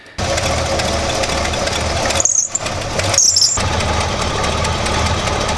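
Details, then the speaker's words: Squarebody dually with 454 big-block at startup, after a belt upgrade for a big aftermarket alternator powering electric fans (a previous shredded belt caused overheating): two short high-pitched squeals over the idle, belt still slipping before being retightened. "very annoyingly this thing is still squealing so i'm going to give it a little bit more love"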